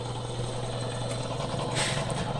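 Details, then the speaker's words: Old repainted Campbell Hausfeld air compressor, about 20–25 gallon tank, 1 hp twin-cylinder motor, drained of water and restarted: steady even low hum, smooth motor drone, no knocks or rattles; shuts off at 100 psi, runs well; front air filter leaks. "Hey! Check that out. It shuts off at 100. It worked. Alright guys, as you can see, this thing works pretty well."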